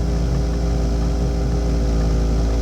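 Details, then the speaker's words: Webasto ThermoPro 90 diesel heater startup with slightly dirty burner: fuel pump ticking, then low even hum as the combustion air fan comes up to speed and holds steady, glow plug drawing about 20 A; normal start. "you may be able to hear the fuel pump going tick tick tick tick fan starting"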